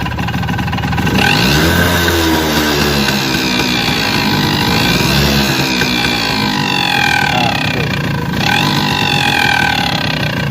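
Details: Suzuki RC 100 two-stroke motorcycle, piston reportedly just replaced: buzz climbs and falls with throttle blips, rattly edge under revs; abnormal engine noise, cause unknown.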